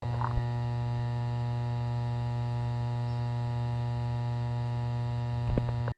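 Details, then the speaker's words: Fender Deluxe Reverb reissue amp, mic at speaker, nothing plugged in, volumes down: constant low hum with steady buzz from a badly failed filter capacitor; filter caps replaced. "but if you parallel the caps and the buzzing stops um that kind of tells you that the cap is bad or it helps you decipher which cap is bad"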